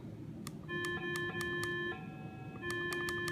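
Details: Minelab Explorer II metal detector with threshold turned about three-quarters up gives a constant annoying mid-pitched hum with higher tones and clicks in headphones; hum stops with threshold turned down; owner unsure if coil is at fault.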